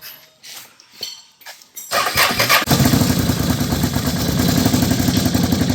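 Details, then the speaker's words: 2011 Can-Am Outlander 800 ATV cranks, catches, then runs rough and skips with an uneven stumbling beat; misfire, recorded before repair. A weak fuel pump is suspected (fuel barely trickles with key on, hose off), and plug wires are shot; pump, wires and air filter are to be replaced. "now it's like skipping like it's Clos that's not a cam"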